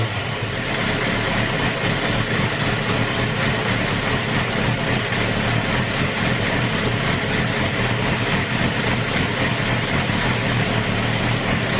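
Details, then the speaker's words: 2008 Suzuki GSX-R 750 K8 after fixing an idle problem: throttle held slightly to warm it up toward its preferred 120-130 degrees, steady even note with no hunting or stumbling; runs clean. "i'm holding it just a little bit just to get it warmed up it likes about 120 130 degrees here sounds like it should be good right now i'm gonna try to release"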